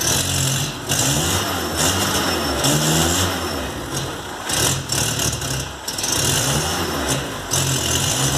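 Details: VW Golf Mk3 single-point injection at idle: idle sags and surges with uneven stumbles and misfiring; caused by a faulty idle air control actuator, replaced (DPL 808601) to solve it.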